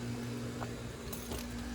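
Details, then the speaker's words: Lennox AC condenser, indoor unit blowing, compressor heard running: steady low hum with no fan whoosh; condenser fan won't spin even when pushed. "so the customer says it does blow in the house and it tries to come on and uh but the fan won't spin it's what he told me"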